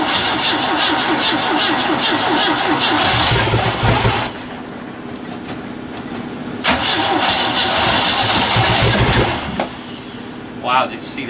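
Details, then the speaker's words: Sea Ray boat engine after long storage, technician trying to get fuel to it: fast steady cranking around three beats a second, stopping and restarting, turns over but won't fire. "board engine on the sear a jerk trying to get fuel to it its cranking over"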